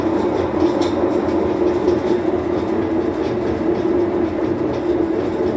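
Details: Whirlpool washing machine that won't spin, on drain/spin cycle: continuous coarse rumble with rattling, rolling quality through the spin; damaged drum bearings.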